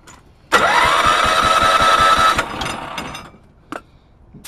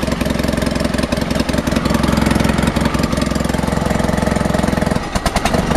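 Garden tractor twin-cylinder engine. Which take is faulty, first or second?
first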